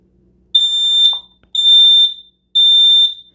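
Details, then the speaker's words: Xense smoke alarm with 10-year lithium battery and photoelectric sensor, test button held 3 seconds: loud shrill beeps about once a second, three in a row, each about half a second; alarm sounds properly on test. "okay so now let me push the button for 3 seconds so to test it out so you can hear what it sounds"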